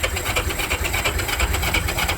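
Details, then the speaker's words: Vintage Honda 350cc barn find, not run in a long while, fluids just added: strong, even starter cranking in 10-second bursts with steady compression pulses and occasional sputter felt as a buzz through the frame, trying but never catching; cranks but will not start. "pretty strong turnover and from time to time I can hear it sputter which tells me it it is trying it definitely wants to"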